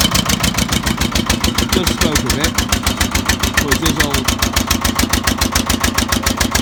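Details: Old Winget one-ton dumper, long-stored single-cylinder Lister PH1 diesel: steady, even chuffing about a hundred beats a minute, rough and tired. Owner suspects blow-by from badly worn rings; filters long unserviced.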